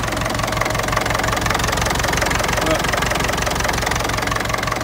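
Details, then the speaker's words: Ferguson TEF-20 vintage tractor diesel just after a cold start, idling nicely: steady, even clatter at about three beats a second with no misses or knocks; normal running before the hydraulics check. "right brilliant okay idling nicely now uh I want to check the Hydraulics see if they're still lifting"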